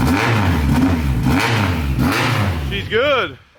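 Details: Mitsubishi Evo that took a hit at the track, cranked on a jump pack: brisk cranking that catches cleanly, rises in one smooth rev and settles with no misfire or rattle; the engine is saved, but the timing belt, tensioner and crank pulley still need replacing.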